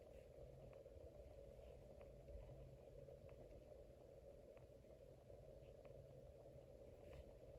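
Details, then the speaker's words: 2003 Casablanca 19th Century ceiling fan, weathered copper, metal-to-metal motor mounting, running at higher speed: quiet steady hum with faint tick about every 0.6 seconds; owner suspects worn motor bearings. "And I think the bearings are wearing out in this one. Yeah. If you listen closely, you can hear almost like a clicking noise."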